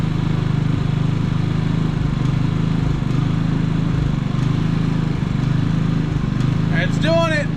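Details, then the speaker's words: Predator generator, high hours, started surging after running for about a week and running out of fuel: unloaded, it hunts roughly once a second, missing and recovering unevenly, and is worse under load. "let's start it up here and see if she's gonna run funky [Music] yes she not running right guys she's clearing up but she's like missing and stuff there it goes"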